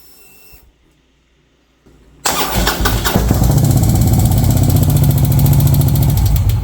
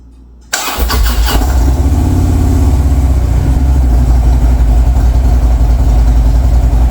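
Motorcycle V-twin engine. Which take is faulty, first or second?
first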